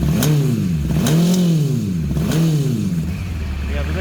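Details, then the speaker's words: Kawasaki GPX 600R long sitting with old oil, warming up before carb rebuild; idle hunts up and down about every second with lumpy, farting firing, seemingly on only one or two cylinders; cause unconfirmed. "that knock is kind of gone now since it's firing a bit more consistently now it's back on Lower uh it's like it's it's only running on a few one or two cylinders there"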